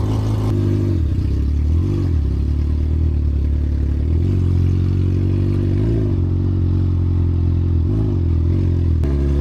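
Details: Suzuki GSX-R1000 after full rebuild and manual cleaning of all fuel injectors: steady idle with several quick throttle blips that rise and fall cleanly, no misfire or rattle. Healthy.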